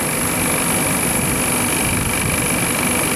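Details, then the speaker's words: Condensing unit for milk cooling, compressor running after a burnt contactor was found; now drawing 14.5 amps versus 18 earlier, pressures about 90–100 PSI below before; steady fan rush and even motor hum with no rattles: normal running. "well that's full in 14 and a half amps and we were on 18 earlier which probably wouldn't have helped with uh burning out that contactor"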